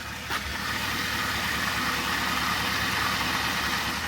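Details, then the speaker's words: Mercedes W124 running after sitting, engine previously knocking, now running clean at idle: a faint high dry rubbing hiss, steady with no speed change; owner suspects something turning without lubrication, not yet found. "It has like that, kind of like a, oh, how do you call it? Like it's rubbing on something, like when you hear it turning and it's like making that weird noise. Gotta figure out what's running dry there."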